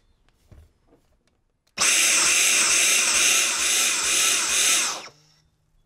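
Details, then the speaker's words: Dyson V10 Fluffy+ vacuum: high whine surges and dips as suction cuts out with the pipe (blockage) icon flashing, caused by moisture left in the filter after washing and 24 hours' drying. "トリガーを引くと吸引が途切れてバッテリー表示の隣にあるランプタイプアイコンですねが点滅してました"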